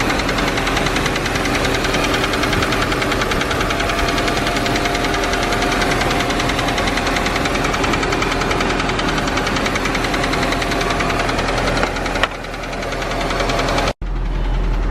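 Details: Audi A4 B5 at idle, with a small leak under the exhaust manifold and a history of being low on oil and smoking: a steady knock about three times a second. Owner first thought rod knock, but it goes away when revved; compression test still planned.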